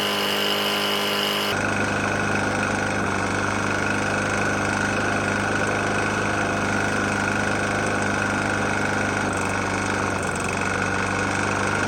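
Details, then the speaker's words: Murray E450 mower with Briggs & Stratton single-cylinder engine, found nearly out of oil and topped up, run until failure; steady drone with a dull, pretty bad knock underneath, possibly internal wear, cause unclear. "Got a Murray E450 Briggs on there. Engine's knocking pretty bad."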